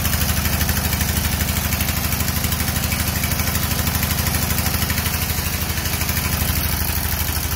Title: No compression